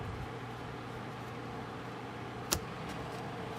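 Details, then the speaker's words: Noctua NF-A14 iPPC-3000 PWM 140mm replacement case fan in a Corsair One i160 (i9-9900K, RTX 2080 Ti) under stress test, believed at max 3000 rpm versus stock fan about 1600 rpm; steady even air rush with low hum, no ticking, far more airflow, running normally. "there's a lot more air coming out now a lot more airflow so you could hear the difference so with the other one a lot quieter because it wasn't spinning as fast"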